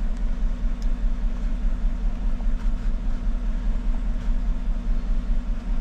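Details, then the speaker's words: 2014 GMC truck, 5.3L, 81,000 miles, misfire at startup, live data shows cylinder 1 misfiring: lumpy idle with a rhythmic stumble about once a second, no lifter ticking; cause later found to be a faulty number 1 ignition coil. "let's go to live data figure out which cylinder this is their misfire right there well she's telling me number one and history counter number one"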